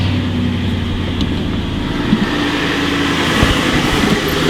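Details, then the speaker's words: Ex-sheriff Ford Crown Victoria P71 Police Interceptor V8, cold start right after starting, heard with the hood open: steady low rumble with a faint, even ticking knock from one side, much weaker once warm; cause unknown. "I hear knocking from this side But you can really hear it strongly only when it's cold Only right after starting"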